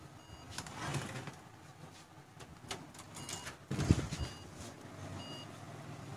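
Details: HP desktop that powers on with no display: short, thin high beeps about once a second over handling clatter, the four-beep power-on error code. Cause not pinned down.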